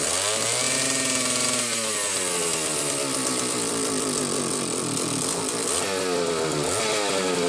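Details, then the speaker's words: Homelite 750 two-stroke chainsaw after adding missing clutch drum washers and a duckbill oil-cap valve: crisp revving up and dropping back cleanly, pitch rising smoothly with throttle, no bogging; strong compression, normal running. "they have so much power and I mean you listen to that sound it's like holding the damn Harley"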